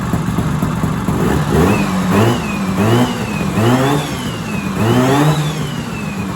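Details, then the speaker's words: 1970s Sno-Pony snowmobile, JLO 340 twin two-stroke, sat 20-30 years, now pulling fuel, warm: repeated throttle blips rising and falling, clean crisp revs with no misfire; normal two-stroke running. "That's crazy. The engine sounds good."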